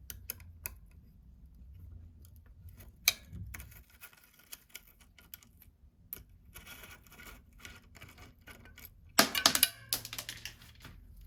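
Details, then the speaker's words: Bicycle front rim brake squeezed while riding downhill: sharp dry clicks in uneven bunches with a louder rattle near the end. Possibly began after disassembly and cleaning in cold winter; pads to be removed and inspected. "When I pulled the brake on downhill, it made a periodic sound like this. I knew it was a problem with the front brake, so I'll have to disassemble the pads to find out."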